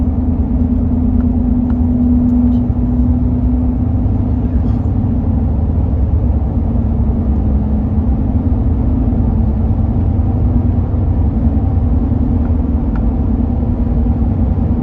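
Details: 2005 Toyota Tundra while accelerating: low steady hum over road rumble, pitch drifting slightly with speed; humming noise, source undetermined.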